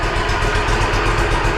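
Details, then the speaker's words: Walker Superbee 52-inch rear-discharge mower, parked since April and not getting fuel, started with air blown into the gas tank to force fuel through the lines: steady low drone with an uneven, lumpy beat, running rough and likely to stall with throttle. "I blew air into the gas tank while I was starting it to force the fuel through the lines. So it's running, but it sounds like shit."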